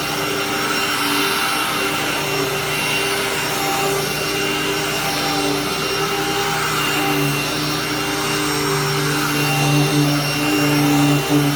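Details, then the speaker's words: Hoover-branded upright vacuum: loud but steady motor roar and constant whine, no grinding, rattling or belt slap; nothing broken, solid machine, just too loud; normal running. "we'll give this a super quick run again great machine just too loud for my liking"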